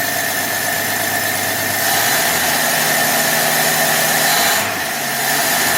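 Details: 1966 Dodge Dart, 225 slant six, with a new cheap imported Autolite-style single-barrel carb and corrected fuel inlet line: holds steady at about half throttle, then drops to an even idle without hesitation; runs smoothly, no leak.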